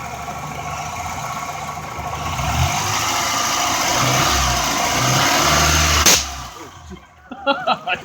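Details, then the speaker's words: 1995 Honda Accord A/C with bad expansion valve, compressor charged to about 500 psi: loud steady hiss of escaping refrigerant over the running engine, then cuts off; suspected ruptured line or blown valve from overpressure. "I think it's coming from, it sounds like a line is ruptured. Under grand pressure, it just can't take it and it'll just blow out."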